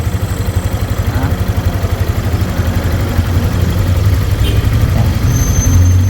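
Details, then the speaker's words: Yamaha Sniper 155 after fitting a cam chain tensioner, adjusted hand-tight until the noise went. Steady low idle pulsing about four times a second, with no ticking or chain rattle; quiet and healthy again. "Then pag nawala yung ingay, saka natin siya ipapahingal tight. Ayan, tahimik na ulit."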